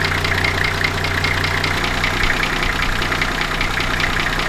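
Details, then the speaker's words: Nissan GQ Patrol with TD42 diesel, overheated when bought, jump-started with dead battery: slow slightly uneven clatter with lumpy low beat before shutting off; idle too low, to be adjusted at the injection pump, tachometer wire broken. "I can definitely hear that the thing is a little bit low on the idle side now the tachometer isn't working and that is actually because this wire here is broken"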